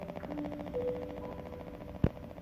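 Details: Hisense F39V77C TV, standby light flickering, no response to power button, back cover off with a bad-looking capacitor on power supply: single sharp click, fails to switch on; power supply clicking, no power-on.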